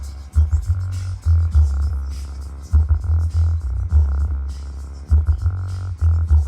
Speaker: Don't know if it picked it up on video, but that one sounds like it is rubbing as well. Not nearly as bad as the other one, but definitely sounds like it's rubbing.